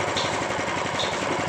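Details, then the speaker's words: Honda GX390 engine, hard to start, running with a very rough, harsh clicking and rattling clatter and no smooth note; owner suspects an internal fault (connecting rod/crank wear suspected), engine to be dismantled. Cause not confirmed. "Mesin sedang menyala. Suaranya kasar sekali, teman-teman. Bunyi klik dan derak, dan apakah suara mesinnya normal. Jadi, itu hanya suara yang kasar."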